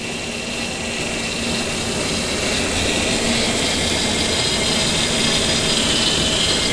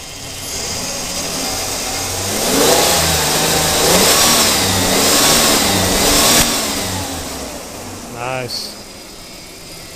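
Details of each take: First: 2002 Ford Explorer at first start after a timing chain job, idling: high steady whine over the engine. The power steering pump had been lying around and the rack was not bled, so air in the fluid makes the pump whine. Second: 2002 Ford Explorer after a timing chain job: the engine picks up cleanly through a few smooth revs and settles back, with no ticking or rattle from the front. Running healthy.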